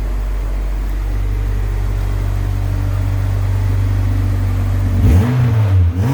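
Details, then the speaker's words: Civic EM2 AWD turbo build first start with new turbo, wrapped manifold and piping, temporary 1000cc injectors, new 3-inch fully open ovalized exhaust, no baffles. Smooth even idle then clean rev, very quiet; spitting condensation, normal idle. "Yeah, it's got to spit out all that water, all that humidity and condensation. But it sounds good, dude."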